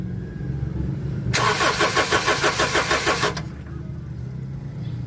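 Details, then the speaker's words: Honda CR-V: starter cranks steadily about two seconds with no catch, then quits; hard start and stalling traced to a cracked rubber fuel line at the fuel pump starving fuel. "So hard starting siya namamatay."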